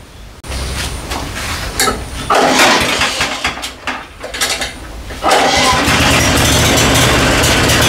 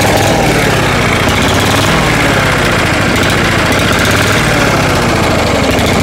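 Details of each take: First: Mulching lawnmower after cleaning and reassembly: a few pulls and sputters, then it catches and settles into a steady, even single-cylinder run. The motor runs properly, though the mulching function is not working. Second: Small mower engine with its carburetor needing tweaking; it runs best with the shutoff control in the shutoff position. It holds a low, unsteady idle and won't rev, sounding starved for fuel (suspected, not confirmed).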